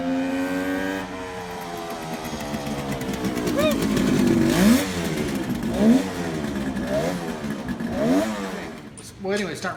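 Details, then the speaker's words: 1971 Kawasaki H1 500 two-stroke triple with rebuilt engine, cold start after long storage: uneven rasping revs rising and dropping, one cylinder dead; no spark on the centre cylinder. "okay we're testing the ignition but we have no spark on the center cyinder"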